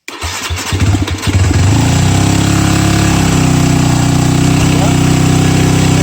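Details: Yamaha WR250F carbureted dirt bike, first start after seven years of storage, cold, no air filter, neutral, clutch in: starter cranks about a second and a half, engine catches and settles to steady even idle; healthy start.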